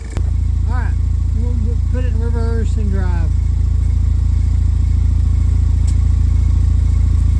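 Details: 2007 Pontiac Solstice GXP after swapping in a used rear differential, on a lift test in gear: smooth, steady low drone from the driveline, no clunks, grinding or whine rising with speed; differential sounds healthy.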